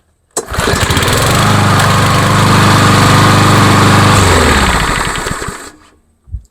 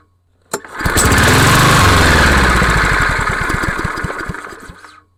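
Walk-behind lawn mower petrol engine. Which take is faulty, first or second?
second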